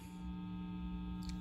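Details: CME Jazzmaster series-parallel pickup with copper tape on the pole pieces clipped to the volume-pot ground: steady low mains buzz with a thin high whine, no playing; hum calmer but not eliminated, since one coil side can't be grounded.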